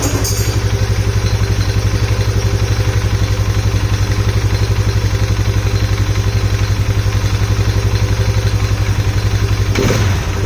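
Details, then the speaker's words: Polaris Sportsman 570 ATV on first start after rebuild, oil just added, airbox lid off: steady loud chuffing single-cylinder idle with strong intake huff, possibly from the missing lid; owner earlier heard a possible knock or tick; loud intake noise at idle. "it's making an intake sound that I don't normally know if that's if it sounds like that because this lid is off and I don't have the lid so not 100% sure on that"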